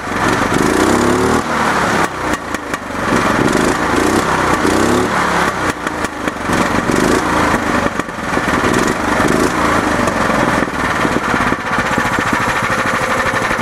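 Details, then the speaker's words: Club Car golf cart after engine swap, with governor bypass throttle plate and K&N cone filter: small single-cylinder engine running steady with a quick, even exhaust beat and a crisp blip. Runs very well; normal idle. "as you can hear, runs very well. Nice pop off."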